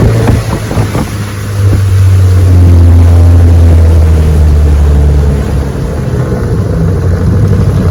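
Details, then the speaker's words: Restored 1971 Evinrude 9.5 HP 9122R outboard on a lake test run, pulling the boat at about 17 mph: strong steady low drone, smooth and even with water splash; starts first pull, idles perfect, normal running under load. "She's a beauty and she runs great, I'm telling you. 17 miles an hour, easy, starts right up, idles perfect."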